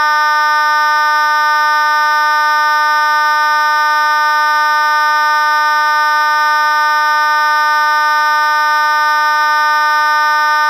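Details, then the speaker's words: Simplex 2901-9806 B4 vibratone fire alarm horn, previously broken and only clicking once, after hours of tinkering with the contact assembly: loud, steady, raspy buzz at one even pitch with no sputter or dropout; working properly. "so I was finally able to get this in perfect working condition it sounded extremely loud as loud as the other 290 806 is in my collection"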